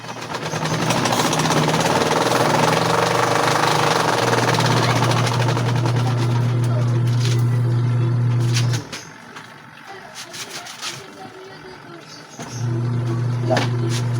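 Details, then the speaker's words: Washing machine bought for 300 pesos, noisy and cutting out: low steady hum with a rough rumble that cuts out and restarts, caused by a garment (panties) wrapped around the drum dragging and loading the motor. "Kaya pala guys, maingay. Ano, may laman sa loob. Ay, pumulupot dito."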